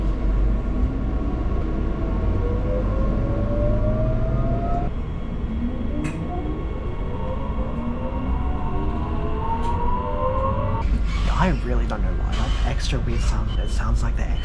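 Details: Onboard a Brisbane train (SMU239) while riding: steady rumble with several whining tones sweeping up and down in pitch; unusual drive whine, cause not identified.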